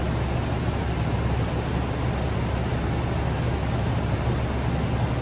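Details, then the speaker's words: 2013 Nissan Armada after repairing a power steering fluid leak, engine idling: steady low groaning hum from the power steering pump working out trapped air, getting quieter as it runs; turning wheels side to side sometimes helps bleed it. "you guys could hear it's getting better and better as it runs the air is coming out of it"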